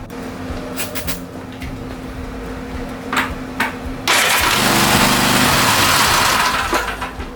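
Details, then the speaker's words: Cub Cadet RZT S 42-inch zero-turn after solenoid and battery fixes: few weak cranks and brief run only on starting fluid, then fades; owner suspects fuel or carburetor issue. "all right so and it'll start if you uh put a little bit of sturdy fluid on it"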